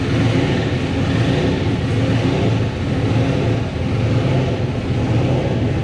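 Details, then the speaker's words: Nissan race car engine after wall crash and oil drained from pan, started with accessory belt forgotten off due to smashed radiator: steady, slightly uneven deep rumble with no belt whir. "Man, it sounds like a weird item. Yeah, I know. I forgot to put the belt back on because when we took it apart, the radiator was so smashed up against it."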